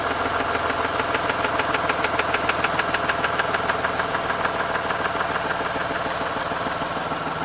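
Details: Mazda RX-8 Renesis rotary engine knocking at idle: a sharp, even knock about three times a second over a steady idle. Owner places it at the rear of the engine or the clutch and says it seems not to be the SSV; cause unconfirmed.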